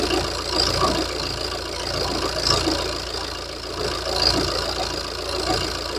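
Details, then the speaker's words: Warmed-up Opel Insignia at idle, before an oil change back to Valvoline Dexos 2 oil from Motul: light, diesel-like clacking over the engine note, hinting at noisy valvetrain; cause unclear. "And the engine is warmed up. Now you can hear how it sounds. Like a diesel."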